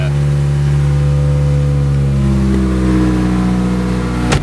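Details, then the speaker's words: 2003 Toyota Corolla, first start before the new exhaust: loud, raw deep roar at idle and rising revs, far louder than stock. The exhaust is broken open just ahead of the non-working catalytic converter, and the check engine light is on. "listen to that Roar obviously check engine light because of the exhaust and because it cuts out right before the cat so there's no Cadillac converter essentially even though there is one it just doesn't work"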